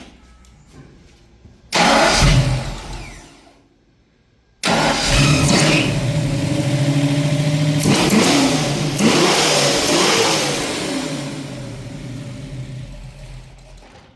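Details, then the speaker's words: 1965 Ford Mustang with newly installed engine and Holley Sniper EFI: catches and revs up under throttle, then sputters, stumbles and dies instead of holding idle; cause unconfirmed. "I mean it you give a gas it and then it just it just sputters and dies so we'll have to figure that out"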